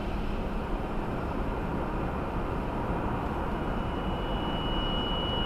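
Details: 2018 Subaru Outback 2.5i Premium, 28K miles, cold morning at about 10°F, first drive; thin high whistle rising over steady hum near idle, RPM-dependent, only at cold idle and light throttle, stops off gas; source unknown.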